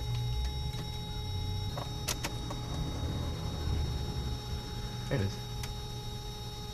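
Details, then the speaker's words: 1990–1997 Mazda Miata after installing a Deatschwerks 255 lph fuel pump, key on without cranking: faint steady high-pitched whine/hum as the pump primes; car then runs perfectly. Normal fuel pump prime. "You should hear the fuel pump go. And we'll do that a couple times to prime the"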